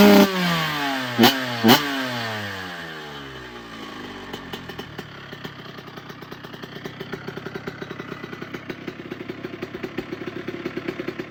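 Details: 1997 Honda CR125 two-stroke after rebuild (new Vertex piston, gaskets, silencer), start and idle test on the stand: quick blips, then a crisp regular pop settling into a steady idle; runs clean.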